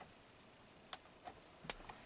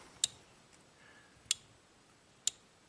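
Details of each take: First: 1997 Ford F-150 electronic shift-on-the-fly 4WD, intermittent no 4WD, code P1838 transfer case shift motor circuit; faint uneven relay clicks without shifting, works when relay box tapped. Suspected bad solder joint in relay box. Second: 1997 Ford F150 with intermittent no 4WD (code P1838), suspected bad relay: four crisp single clicks about a second apart; each grounding of control side clicks and voltage drops to zero, drawing 0.11 A.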